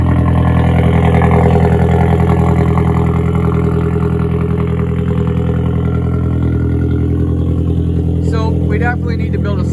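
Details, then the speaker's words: 1.8T VW Passat B5 after ECU tuning attempts, still starting and running fine: steady low drone with a loud rushing turbo hiss on top. The turbo is unusually loud. "oh yeah she's loud this turbo though i can't get over the turbo in this car listen to this"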